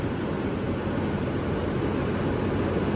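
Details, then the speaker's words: Thermal bimetallic viscous fan clutch on an orifice-tube AC system, engaging at about 143°F line temperature: steady even roar of rushing air with no knocks; hot fan clutch locking up, line temperature diving as airflow rises. "at about 143 degrees line temp for that duration of period and it just cycled off be where the fan came in and look at how it's diving down so that's the fan engaging because of the fluid flow just like in a automatic transmission"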